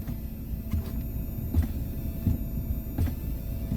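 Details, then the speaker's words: Ford SYNC replacement module in car, engine running: low hum through the speakers with dull thumps about every 0.7 seconds as blinkers and brake lights switch; electrical interference. "there's background noise in it you hear it rev up this is what it sounds like when i put my blinkers on here's my brake light"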